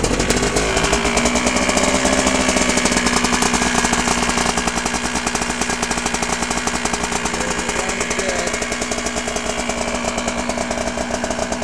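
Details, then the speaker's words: 1983 Honda Odyssey FL250 two-stroke, just rebuilt with new piston and clutch, F&M exhaust, still breaking in: crisp, rapid firing beat revs up then settles to an even, steady idle with no misses; runs healthy. "anyways it runs fast still breaking in the engine I'll start it up just so you could hear it"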